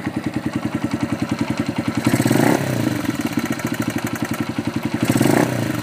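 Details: Honda FTR223 converted to 125, cold engine at idle: single thumps with light tapping clatter over each beat, louder on blips; abnormal engine noise when cold, cause undetermined.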